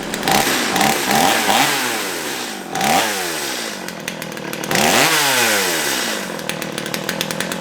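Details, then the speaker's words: Stihl MS211 chainsaw hot start after fuel system cleaning; picks up cleanly on each throttle blip, revs crisply and drops back smoothly, running properly. "let's just give it a hot start real quick before we go back to our knife work and uh see if it's running properly oh"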